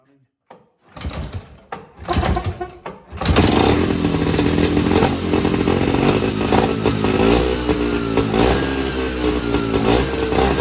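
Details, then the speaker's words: Evinrude Bobcat 25hp two-stroke snowmobile, sat 20+ years, run on mixed fuel: sputtering catches, then raspy uneven running with revs hunting; carburetor not carburating, owner suspects fuel bypasses carb and drains back to tank. "So basically what has happened is the carburetor is not carbburating. So, what I think is happening is the fuel is just bypassing the carburetor and returning back to the fuel tank, and it's not actually getting sucked into the engine and burned."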